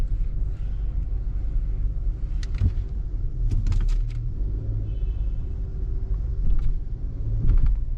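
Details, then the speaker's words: 2019 Hyundai Santa Fe after replacing leaking right rear shock absorber that made rear-end noise, test drive over a small bump: low road rumble, soft thumps, no clunk or knock; suspension quiet. "So I just want a small bump there, or hump, and so far there's no noise."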